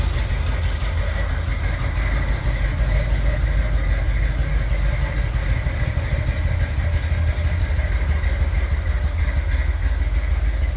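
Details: 1978 Corvette V8 idling with open-window valve covers: steady rumble with light, uneven top-end ticking; one cam lobe almost completely worn down, another on passenger side also worn, camshaft damage, camshaft to be removed.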